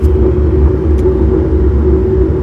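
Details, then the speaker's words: Raised boat trailer wheel spun by hand: a low, rough growl with a steady hum from a bad wheel bearing showing in/out play, probably water-damaged; the dust cap was uneven. "that is definitely bad. You can hear that bearing growling."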